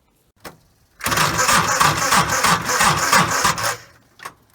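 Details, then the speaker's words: 30-some-year-old tractor at about 20 degrees, before adding a starter relay: about three sluggish labouring cranks a second for nearly three seconds, no catch; voltage loss in the starter solenoid circuit. Slow cranking. "I'm here at the tractor, ready to install the relay, and I'll show you what the thing sounds like when you go to start it before the relay is installed."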